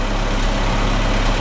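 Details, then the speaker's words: D-17 tractor with its gas tank just refitted, cold start at about 30°F on the cold side of the shop: starts right up into a smooth, even low idle with no misses or knocks and no smoke; runs healthy. "and I got this thing put back together today, and it is just purring like a kitten. And it's only about 30 degrees out, folks. It started right up."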